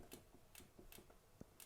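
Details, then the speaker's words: 1995 Cannondale F600 mountain bike, cranks turned by hand: faint light ticks about every half second; drivetrain knock, suspected B-tension on cassette/derailleur, unconfirmed. "can you hear that knocking sound I'm fairly certain it's to be tension on a cassette"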